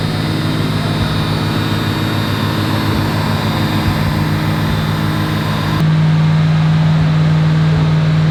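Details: Fox Body Mustang V8, carburetor (not fuel injection), cold and warming up on the choke after a no-parts fix. Steady, even rumble at a raised idle with no stumble or hunting; owner says it never ran smoother. Normal fast idle.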